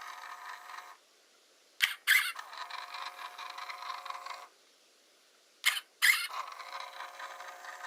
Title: Squeak sound in Hasselblad Winder CW (with sound, but no speaking...)